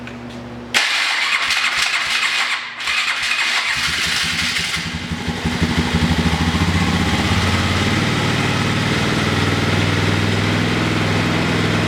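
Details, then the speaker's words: Single-cylinder engine after carburetor rebuild, owner suspects float height set too high or timing off: catches after a few cranks, then a rough, uneven idle with occasional popping; still backfiring slightly after lowering the fuel. "so oh got her fired up maybe down the [Applause] fuel it's still kind of backfiring a little bit"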